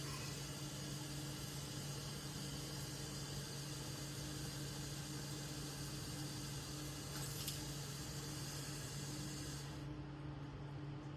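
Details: Second-floor apartment toilet cistern gives a constant quiet hiss of water trickling without stopping; it keeps running because the flush push rods under the lid stick and hold the flush valve open.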